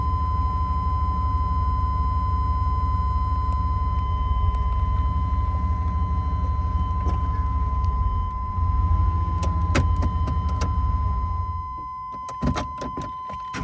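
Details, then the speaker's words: 1995 GMC Suburban 2500 4x4, GM 5.7 TBI V8, automatic, after new O2, MAP, coolant temperature sensors, fuel filter and lines: once warm, idle surges and hunts between 500 and 1,000 rpm, then dies when put in gear. "The problem occurs once the motor has warmed up. The RPMs will start to surge in the lower range, searching between 500 and 1,000 RPMs to maintain idle."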